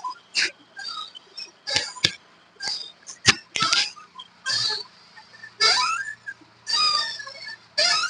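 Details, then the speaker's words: Hyundai i10 with the engine running and the steering swung lock to lock: dry, irregular creaks about once a second, also heard over bumps. The sound comes from the lower arm. "Correct കറക്ക് എന്നുള്ള ഒരു sound നമ്മൾ wheel ഓടിക്കുന്ന സമയത്ത് ഓടിച്ചേ അങ്ങോട്ട് കേട്ട് ആ full അടിച്ച് ഇങ്ങോട്ട് വെച്ചേ ഇനി അങ്ങോട്ടും ഇങ്ങോട്ടും ഒന്ന് പ്ലേ ചെയ്യണേ ഈ ഒരു സൗണ്ട് ആണ് നമുക്ക് കേൾക്കുന്നത് അപ്പൊ ആ സൗണ്ട് നമുക്ക് കിട്ടുന്നത് ഇതിന്റെ ലോവർ ആമിന്റെ ഭാഗത്തുനിന്നാണ് ആ ഒരു സൗണ്ട് കിട്ടുന്നത്"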